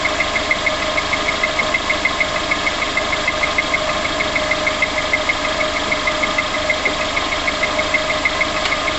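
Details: Sharp, regular top-end tapping about three times a second over a steady idle just after start-up on a VX19; cause not yet pinned down.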